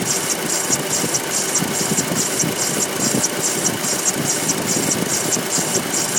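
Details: 2.0 TFSI engine at idle: a light, sharp clacking repeating about twice a second, plus another strange noise alongside the clacking; origin unknown.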